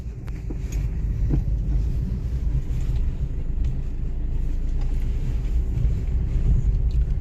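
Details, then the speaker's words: Maruti Ciaz driving after clutch plate, pressure plate and bearing replacement and oil leak repair: smooth even low rumble, no chatter, whine or clunks, quiet inside with good pickup; quiet clutch and drivetrain. "गाड़ी चल रही है, भाई; क्या आपको कोई आवाज सुनाई दे रही है? कार के अंदर बिल्कुल भी आवाज नहीं आती और इसकी पिकअप भी शानदार है।"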